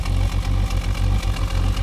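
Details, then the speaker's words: Holden VS Commodore ute V6 idling unevenly with a dropped beat every few pulses and loping exhaust stumble, smelling of unburnt fuel; misfire persists after swapping injectors, camshaft found badly worn. "See, it's missing on idle and it's not. You can hear it's missing."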